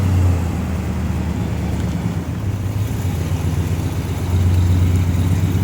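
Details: 1970 Pontiac GTO, first test drive after engine and transmission rebuild and new brake and fuel systems: deep steady V8 rumble pulling away smoothly, even low beat with no knocks or miss; normal running.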